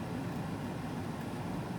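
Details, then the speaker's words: Mars Azure 10859 Bluetooth ECM blower motor newly installed in Carrier 58PHA-110-12120 furnace, set to 80% torque for 1,050 RPM, drawing about 7.5 amps: steady, even air rush with smooth low hum, no ticks, rubbing or wobble; running cleanly. "Okay. That's pretty good. Harness sounds good. Amperage looks good at about 7.5 amps."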